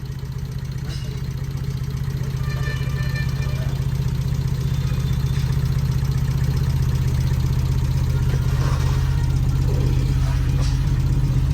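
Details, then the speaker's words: Car that suddenly made a weird sound and started only after several tries; exhaust checked with no cracks, spark plugs checked: uneven, lumpy idle with a stumbling beat about four per second; misfire from a rodent-chewed ignition power cable. "Start ಆಗುತ್ತೆ ಅದು car ನಿಮಗೆ sound ಕೇಳಿಸ್ತೀನಿ ಅದು ಹೆಂಗೆ ಎಷ್ಟು weird ಆಗಿ ಆಗುತ್ತೆ ಅಂತ"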